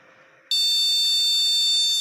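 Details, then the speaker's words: PC motherboard with two RAM modules installed, buzzer speaker fitted: one long, repeating piercing beep with no display, meaning the RAM is faulty or not detected by the board. "Sekarang, bunyinya panjang. Bunyi bip panjang yang berulang. Monitor tidak menampilkan apa pun. Maksudnya itu apa? Meskipun kedua modul RAM sudah terpasang, namun keduanya rusak atau tidak terdeteksi oleh motherboard."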